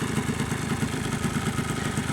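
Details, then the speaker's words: Yamaha Blaster two-stroke ATV after top-end rebuild and fresh oil: steady idle with even quick popping pulses, dips slightly then settles, no rattle or hunting; normal idle. "l right so it idles pretty good sounds good um it kind of lowered on the idle there now seems like it's going to turn off but it never turns off it just like kind of Mellows down and idles pretty good"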